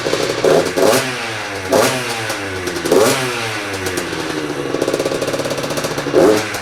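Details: Freshly built Yamaha YZ85 two-stroke with new crank, still breaking in, coolant circulating: blipped through several revs, crisp and even, no knocking or misfire; normal running.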